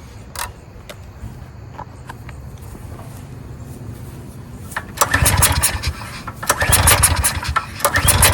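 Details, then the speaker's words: 14-year-old Briggs & Stratton generator sat 5+ years, old fuel suspected bad or line gummed; choked with carb cleaner sprayed: faint clicks then short loud bursts that die off each time; fuel delivery fault. "so what this tells me is it's a fuel delivery issue so now it's time to start playing around and trying things"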